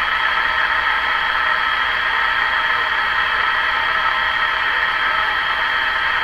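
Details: Ford Zenith 6MF780 car radio with non-working vibrator, short piece of wire added as makeshift whip antenna: steady even hiss with faint whistle, no crackle or dropouts; receiver working.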